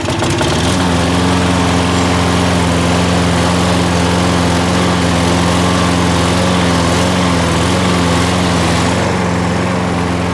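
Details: Toro Super Recycler mower with a 6.5 hp Briggs Quantum engine that, after winter storage, would only start on starting fluid. After repair, primed and with the bail pulled, it catches within a second and holds a strong, steady drone without surging or misfiring: fixed.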